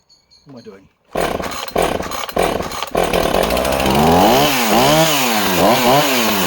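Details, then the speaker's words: Husqvarna project chainsaw (owner unsure if 445 or 455), running as found with original plug and filter: revs up and down with lazy, uneven pickup at the top, slight hesitation; sounds slightly rich, owner suggests carburetor service and fresh plug. "So that's an amazing little project saw, but she does have that, you can just hear it, can't you, when she's running, just that tiny bit of hesitancy. But again, carburetor service, fresh plug."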